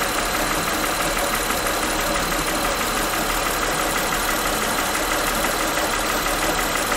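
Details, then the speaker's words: Honda Pilot V6 at idle, microphone close to the engine: sharp, rapid tick-knock at an even beat over a steady idle; pulse sensor links it to cylinder 6 valve timing, suspected valve lash needing adjustment, unconfirmed. "so here we are at a honda pilot you probably hear a little bit of that knocking"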